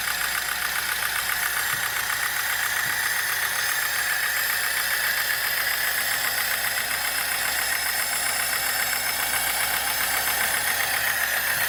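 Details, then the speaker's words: VAZ 2106, about 1975, 1300 cc engine, 4-speed, electronic ignition, idling in neutral: steady light ticking knock about three to four per second from the top of the engine; worn camshaft and rockers in the valvetrain. "слушай может сверху даст звук идет за распределительного механизма"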